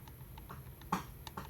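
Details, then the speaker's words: Solex carburetor linkage worked by hand: quiet, irregular light clicks as worn throttle shafts rattle in the worn body; the second barrel makes the same noise, which affects idle and adjustability. "Manny, the shafts are worn, and the body is worn so that these things click, make noise, which maybe you can hear it."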